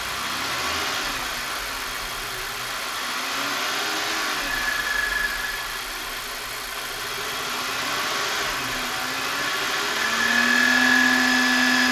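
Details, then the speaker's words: Engine revved and held at high rpm as a PCV oil separator check: a steady drone with a thin whistle over it, the sound of a torn oil separator diaphragm that needs replacing. Linked to high oil consumption and uneven running. "А вот послушайте звук когда масло делителе Порвана диафрагма мембрана и нужно её"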